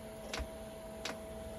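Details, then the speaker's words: Chinese diesel air heater on an Eagle bus conversion after reseating the fan's hall RPM sensor to fix Error 06: sharp, even ticks about 0.7 s apart over a steady fan hum as the dosing pump starts normally before ignition. "it's clicking now we should hear it fire up here if there's diesel"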